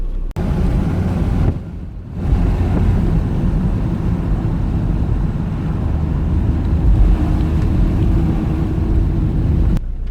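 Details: Land Rover Discovery TD5 on a road test after replacing the injector harness and cleaning the engine ECU to cure a bad misfire. Deep, even rumble under load with wind buffeting and no stumble. Runs smooth; misfire fixed.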